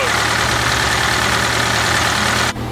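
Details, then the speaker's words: Flxible bus diesel still idling in the background after a cold start following weeks of sitting, warming up: loud, even clatter at steady speed with no irregular knocks; normal warm-up idle. "You can hear in the background, she's still idling."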